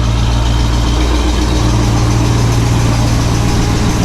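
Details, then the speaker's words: 1968 Pontiac LeMans, warm, on its original single exhaust before a dual exhaust install; low, soft, even idle rumble with no misses or ticks, barely audible from inside. "I mean, it's not bad. You can hear it. When you're in the car, you really can't."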